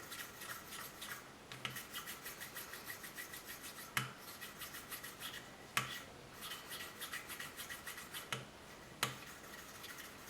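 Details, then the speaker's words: 1983 Kawasaki 750 LTD rebuild, lapping valve number 2 by hand with fine compound: steady back-and-forth rasping strokes, fine and even with no gritty catch. The valve is lapping into a good smooth seat. "There we go, much, much better."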